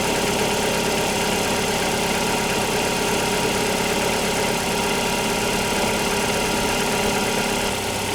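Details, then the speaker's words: Opel Antara cold start, engine barely moved, baseline before adding RVS G4 treatment: steady idle with an uneven ticking clatter over the hum. The engine has a known side noise; its source is not identified. "Tää on aikalilla kylmä käynnistys. Mä en muuta ku tosiaan siirtänyt sen tästä tähän."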